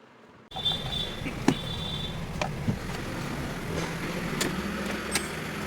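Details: Hyundai i10 with a starting problem, after ECM repair: the engine starts and settles into a steady, even idle with no knocks or misses. It now runs normally.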